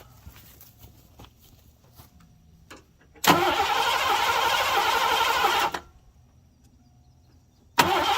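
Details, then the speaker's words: 1987 Mercury Grand Marquis LS abandoned for about a decade, no fuel pump heard, owner suspects a bad fuel pump relay: silence, then the engine catches on sprayed brake cleaner, runs rough about two seconds and dies. "Alright, so pretty sure we have a bad fuel pump relay. I'm not hearing the fuel pump. So I'm going to test that hypothesis."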